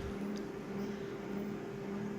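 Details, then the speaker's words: Konica Minolta copier running a copy job: steady thin squeal at constant pitch from inside the machine, with low-pitched and high quick-pitched squeaks that come and go and grow louder. "Oh, I heard that squeak. Good. Oh, just like that. Not a good sound, folks. Not a good sound."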